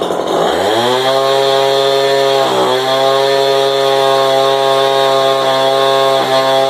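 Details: Craftsman 25cc two-stroke leaf blower, resealed, with modded muffler (mod gained 500 rpm at wide open, idle unchanged): snaps from idle to a steady, high, smooth buzzing full-throttle scream; healthy.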